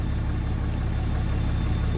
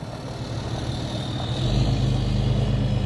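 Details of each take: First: 6.7 Cummins hotshot truck (probably a 2017) in park: deep diesel rumble with a slightly uneven, loping beat, a miss most noticeable under load. No blow-by; an injector kill test shows no change on cylinder 2, so the injector has failed. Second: 6.7 Cummins hotshot truck, probably a 2017, after injector replacement: free revs with smooth, even diesel note and a clean rising whistle as the VGT turbo kicks in, no misfire; healthy running, though the truck still needs a retune.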